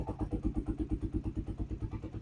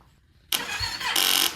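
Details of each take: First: 2015 Yamaha YZF-R3 that sat for years, with rusted tank and failed fuel pump fixed, now on a new battery: a quick even crank of about five seconds, then it fires and settles into a steady idle, a normal start and idle. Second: 2015 Yamaha YZF-R3 that sat for years, fuel system repaired after rusted tank and failed fuel pump: a short, sluggish crank that fades without firing because the 10-year-old battery is too weak; fuel pump primes with no leaks.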